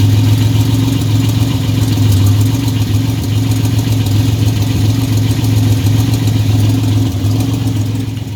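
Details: 1985 Chevrolet S10, 2.8 two-barrel carbureted V6, nearly 60 psi oil pressure, transmission not yet installed: steady idle with a loose, uneven tapping about three per second; engine knock, source not yet checked.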